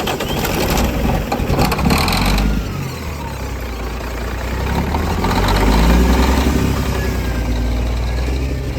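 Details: Diesel truck after sitting 11 years: uneven rumbling, surging and stumbling after start; engine position sensor readings below normal, crank sensor or its harness wiring suspected.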